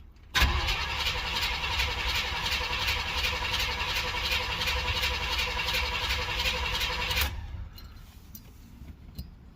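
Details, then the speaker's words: 305 H.O. small-block Chevy V8, carbureted, first cold start of the day at 61°F, choke fully open, after one pedal pump; catches with rough uneven beat for several seconds then dies; hard starting. "started up after one pump but didn't stay started try it again"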